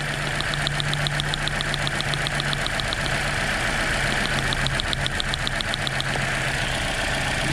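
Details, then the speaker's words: 2009 Toyota Corolla 1.8L 2ZR-FE at idle, codes P0302 and P0352: uneven running with a sharp crackling snap as the faulty coil, moved from cylinder four to two, sparks when lifted. Ignition coil arcing with misfire. "this coil here that was number four US now number two you can actually hear it it's sparking we lift it up a little bit"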